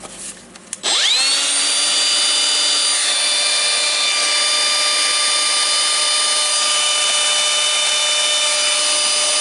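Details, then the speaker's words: Makita DGA504 cordless angle grinder after armature ball bearing replacement (bad bearing caused banging noise): spins up to a steady clean high whine, no rumble or grinding; a faint extra note remains but it runs fine. "taking the good battery I'm testing it sounds not bad you have some additional"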